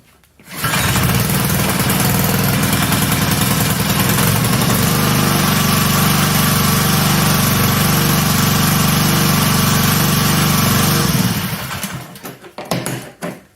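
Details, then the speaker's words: Honda GCV160 pressure washer engine after carb replacement, new gaskets, new spark plug and refitted governor spring: starts cleanly, runs steady and even with no misses or knocks, then shuts off; works like new. "Works perfect. Like new."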